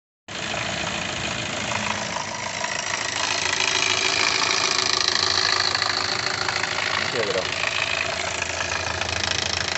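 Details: New Hyundai Creta 2.0 petrol engine at idle: faint irregular tapping, about two to three a second, over a bright hiss; abnormal engine noise of unclear source.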